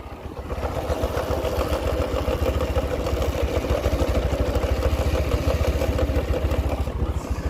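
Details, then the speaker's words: TVS Apache 160 4V, front chain sprocket reversed earlier, clutch held: fast loose clatter about three to four rattles a second over a low engine drone, noise returned and unresolved; worn sprocket chain rattle. "लेकिन अब भाई फिर से बहुत ज्यादा यह शोर कर रहा है।"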